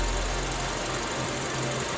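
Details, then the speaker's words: 2003 Honda Element, previously rough idle, stalling and P0301 cylinder 1 misfire, at warm operating temperature after a valve clearance adjustment that found the exhaust valves too tight: an even, steady, smooth idle with no stumbles; the rough idle is gone. "lot smoother than before no more rough idles all right cars warmed up operating temp the idle's no longer rough"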